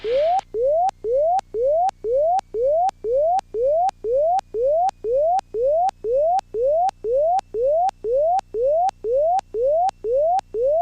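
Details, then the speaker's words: Aircraft's factory gear warning, heard with throttle pulled fully back and gear up: steady beeps about two per second, each sweeping up in pitch; landing gear warning horn. "But that's the factory system, if you can hear that beeping going off."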